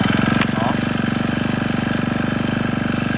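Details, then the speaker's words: Used Japanese Honda GX25 four-stroke brush cutter, starts on one pull; small engine ticking over with quick even steady pulses, no misses or knocks, no roughness when throttled up; healthy idle. "Máy giật rễ nổ một phát một là nổ thôi. Thì nổ còn êm ru luôn. Ga lên thì chưa hề cọc cạc gì cả."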